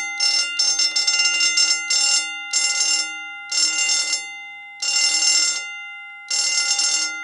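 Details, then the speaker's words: Homemade fire alarm system bell, pulse rate set by potentiometer changing capacitor charge time and an added diode: high, shrill bell rings in bursts, first quick and choppy, then slower even pulses about every 1.5 seconds; working normally. "you can see that the change in speed of the pulsing differences as well as here when I add this diode in you can hear that it rings at a different rate"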